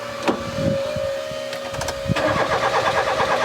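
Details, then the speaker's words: 1996 Rover 216 SE Cabrio, abandoned nearly a decade, after new fuel pump and unpinching a fuel line: starter cranks evenly about three beats a second, fuel pump audible but no fuel reaching the pipe; crank, no start. "we can hear the fuel pump but nothing is coming out of that pipe from the fuel"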